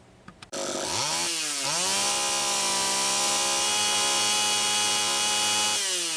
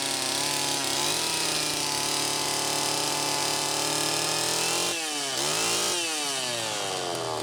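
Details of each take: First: Homelite Super EZ two-stroke chainsaw after tightening the three loose intake block/reed valve screws and sealing the gasket: catches, revs up and holds a steady high buzz with no surging or hunting; runs evenly. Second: Homelite Super EZ chainsaw test run after carburettor repair, high needle reset from about four turns out to one turn: high screaming rev surging and dropping unevenly; lean running, crankshaft seal suspected bad.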